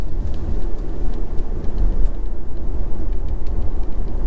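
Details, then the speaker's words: BMW X3 M40i while driving: light, irregular tapping from the sunroof right next to the ear over road rumble. The sunroof rattle has been taken to the dealer four times. "it's basically a very annoying tapping noise right next to the ear as it's very close here"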